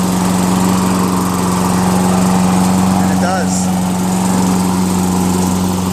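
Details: Toro Recycler 22" self-propelled mower, 6.5 HP Tecumseh engine, after clearing a hydrolock (oil in combustion chamber) and carb clean with new needle, float, gasket, bowl and fresh gas: steady even buzz with firm low hum, no misses or surging; runs healthy.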